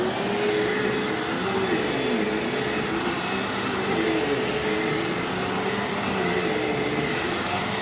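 Steady, even motor roar with a constant high whine and no surging or rattles, a healthy vacuum running normally.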